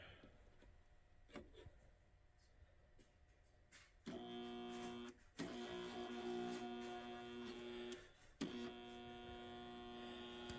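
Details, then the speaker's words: 175 W mercury vapor ballast whose coil winding lead broke inside the spool and was pushed back in: steady electrical hum cuts in and drops out as pressing the loose lead makes contact, and the bulb flickers; poor winding connection. "when I actually push on this and it makes a better connection you can actually hear the hum and also when I did that the light bulb wanted to come on I saw it flicker"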